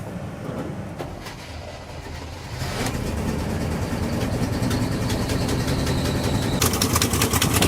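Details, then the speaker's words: Abandoned 4x4 crew cab squarebody Chevy V8, first start after years of sitting and needing exhaust gaskets: catches and settles into a lumpy, uneven, stumbling idle, seemingly running on about five cylinders. Cause not yet found. "well it's safe to say that it runs I don't know if you guys could hear that but it does run it's only running on like maybe five cylinders"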